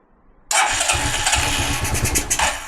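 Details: Carbureted G-Moto Cross X Pro moped after its fuel was drained: the starter spins with a fast, even, low chuffing for about two seconds, but the engine never catches because the carburetor float chamber has run dry.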